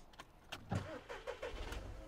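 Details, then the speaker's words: 2013 VW Polo 1.2 TDI, codes P261A00, P023800, P010400, intake already cleaned without effect: diesel catches, runs rough about two seconds and dies; stalls after starting, EGR valve stuck open suspected before scanning. "stops then it stalls right do that again stops then it stalls all right so my guess is without even looking at any scan that's an EGR problem"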